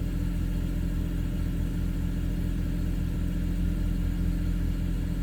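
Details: Hard start with extended cranking on a BMW N54 with index 12 injectors, Walbro low-pressure fuel pump, MHD 2+ and xHP tunes, 93 octane, at 58°F: steady cranking pulses about two per second and the engine never catches.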